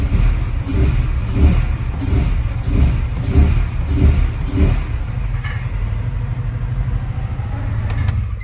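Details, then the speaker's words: Honda Civic just after a new fuel filter was fitted and the system primed: a low, uneven idle pulses once or twice a second and sags toward stalling. Rough idle, cause unknown; a fuel pump has been ordered. "I don't know if you guys can hear that but it's kind of struggling on idle oh no it's B to die"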